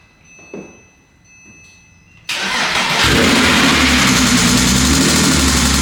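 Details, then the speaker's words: 2007 Porsche Cayman S, 6-speed manual, started cold before engine-out rebuild: cranks, catches and settles into fast cold idle with dull ticking knock under engine note; bore scoring. "Now I'm going to take these keys, hop in, get it started for you, show you what the bore score sounds like, and then we'll dig right in."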